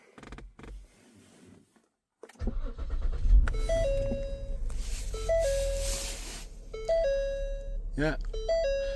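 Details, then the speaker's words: 2017 Ford Explorer 3.5L V6 after replacing the HVAC cabin air temperature sensor behind the instrument cluster trim: engine starts and idles with a repeating chime, and the loud whining/siren-like noise from the dash is gone. "I can't hear it anymore so this whining noise is fixed thanks for watching"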